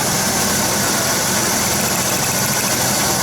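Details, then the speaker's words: GM Buick 3800 V6 with DIS idling smoothly and steadily after fiddling with plug wires during a cylinder drop test; intermittent misfire only after cold soak near 20°F and idling, suspected ignition control module. "so we're back to normal so now you hear the engine runs just fine"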